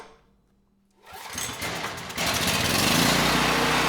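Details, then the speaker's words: Powermate 5,000 W generator, 10 hp Briggs & Stratton engine (model 205412-0175-E1) freed after locking up, restarted with a light plugged in: catches after a second, settles into a steady, even run with no knocking; normal running. "let's start it again and make sure we have power"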